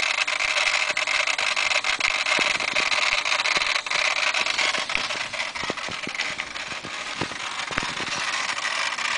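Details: 1992 Mitsubishi 3000GT VR-4, 70k miles and unused for 5 years, ignition on with the engine off: steady high hiss with irregular crackling clicks. The fault was leaking ECU capacitors, and replacing them cured the noise.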